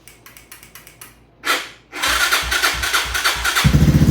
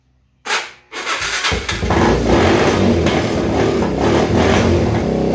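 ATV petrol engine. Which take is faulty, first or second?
first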